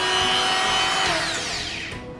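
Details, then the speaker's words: Mollar MG005 130 W mini grinder/rotary tool after repair: front bearing wrapped with paper tape, previously vibrating and slow; steady high even whine with no rattle, pitch sliding down as it spins off, running normal and smoother. "Nah, sekarang setelah kita lapisi bearing yang di depan tadi dengan isolasi kertas, dia mesinnya jadi normal lagi, suaranya juga jadi lebih halus"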